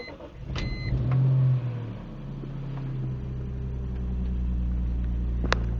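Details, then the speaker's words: 2001 BMW M3 with over 200,000 km, cold start after sitting about a week: a few clicks and a short crank, then it catches and settles into a steady, even cold idle just above 1,000 rpm. Normal, with no knocks or misses. "So I'm not sure if you can hear right now, but it's revving consistently at just above 1 because it's cold."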